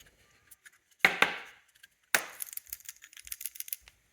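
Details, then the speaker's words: 1985 BMW K100 that won't start after fire damage and six years sitting: shaking its fuel injection relay gives a light tinny rattle and clicks from a loose piece inside. The relay is internally broken and was replaced, fixing the electrical problem. "Something was loose inside, so I'm pretty sure that doesn't work."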